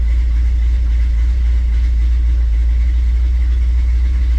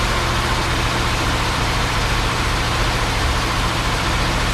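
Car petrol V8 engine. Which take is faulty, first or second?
second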